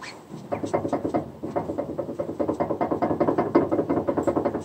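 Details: Lada Vesta under warranty, heard in the cabin over rough surfaces such as gravel or paving: quick, irregular clatter of light knocks, several a second. Brake calipers rattling; the dealer called it normal noise.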